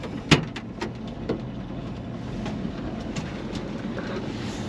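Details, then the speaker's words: 1951 Chevy 3100 pickup, parked several years, started with a couple of pumps: quiet steady low idle with soft even hum and a few light clicks; engine runs smoothly, normal idle. "a quick flip of the switch in a couple of pumps and she's running"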